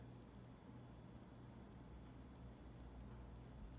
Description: A quick noise level test/comparison to a box fan with my Pioneer WYS012AMFI19RL-16 12000 BTU 115V mini split.